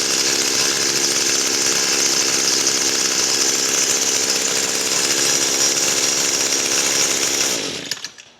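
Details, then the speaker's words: Echo SRM-225 two-stroke string trimmer shutting down with switch ON; high buzzing runs steady about seven seconds then dies abruptly, pinched stop-switch wire near trigger, likely breached by a clamp, shorting to ground. "So somewhere in here the wires got pinched. And we're grounding."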